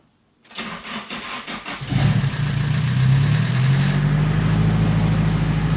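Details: Nissan SR20DET, blown engine, last start before removal for bottom-end rebuild: several cranking beats, then catches and settles into a lumpy, uneven, rough idle; piston ring failure.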